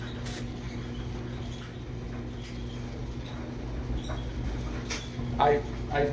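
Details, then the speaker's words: Dryer running a full load of clothes, with the squeal returned despite an idler pulley replaced in June 2023 and the area cleaned: a faint chirping squeal over a low steady drum rumble, worse than before; cause not pinned down. "unfortunately I already know the noise is back because I've tried the dryer the full set of close but despite all the cleaning out of that area it sounds like this that's worse than before"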